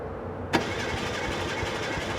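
Starter spins the engine over steadily but it never catches or picks up speed; it cranks without starting, cause unknown.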